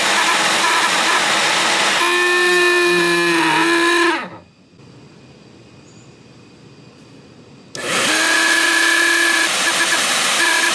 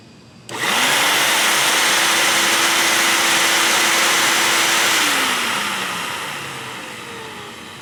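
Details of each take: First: Shop vac: loud whining motor with wavering high tone and rough edge, stopping then restarting the same way; motor bearings likely dry and need lubricating. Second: Shop vac after its noisy motor was lubricated with a little oil and the filters were blown out, retested: motor spins up to a clean steady whine with a smooth rush of air, then winds down evenly, no grinding; bearing sounds healthy.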